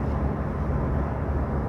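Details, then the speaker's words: Diesel that knocked when cold and smoked white, after injector tips were replaced, the camshaft lifted, the system flushed, oil changed and settings reset: a steady low rumble while driving, quiet with no ticking or knocking. "เสียงเงียบตอนสตาร์ทเป็นไงเสียงเงียบเงียบลงจะไม่มีเสียงแทรกซ้อน"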